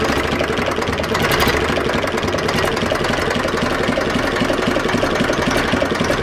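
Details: Zetor 4911 tractor diesel, stored since 2012, restarted after coolant top-up with no leak at the cylinder head, warming up: steady even idle clatter, no misses or knocks; warming up smoothly.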